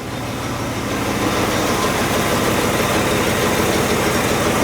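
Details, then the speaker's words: 1964 Chevy C10 V8 (flat-tappet cam, fresh 15W-40 oil), started after an oil change without choke, not yet warmed: catches and settles into a smooth, steady idle, even beat, no ticking or knocking; no oil light, good oil pressure. "Sounds happy with it. No oil light or anything like that. So, we got good oil pressure."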